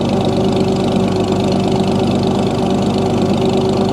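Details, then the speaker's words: 1937 Oliver Hart Parr 70 tractor running with the choke being adjusted: deep steady idle, even low thrum, no knocks or excessive transmission or timing-gear noise. PTO turns; belt pulley is missing its drive sleeve. Running smoothly. "This thing sure runs smooth though. No knocks."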